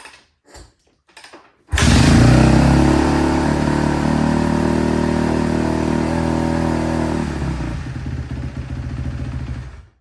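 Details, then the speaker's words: Kawasaki KX250F, 103 hours, after fixing a no-start and cleaning the air filter, kick-started on choke: fires and revs crisply, then holds a steady even single-cylinder beat before shutting off; running normally. "all right so she runs I'm gonna clean this thing up adjust those bars and we should be ready to rip on this thing"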